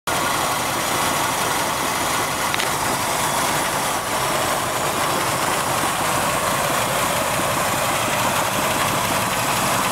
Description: AMC 360 in a 73 Wagoneer...Whats the knocking/rattling noise?